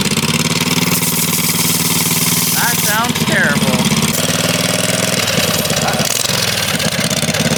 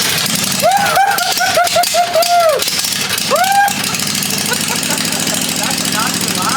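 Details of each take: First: 1980 Daihatsu S38 mini truck with swapped-in 23 HP Briggs & Stratton Vanguard engine, coasting downhill: loud, uneven, lumpy note that never settles, running rough because the choke was left on. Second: 1980 Daihatsu S38 mini truck with a swapped-in 23 HP Briggs & Stratton Vanguard twin, throttle on slow, first start after priming fuel; settles into a steady, even low idle with no knocks or misses.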